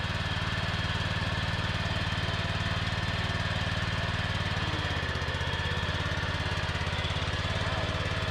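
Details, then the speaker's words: Non-running riding mower revived with ether and choke: single-cylinder thump about two beats a second with thin, steady high scream from underneath the deck; cause not confirmed, deck to come off, left drive unit failed. "Well, I don't know if you can hear it there, but something down underneath is a little louder than it ought to be, just screaming."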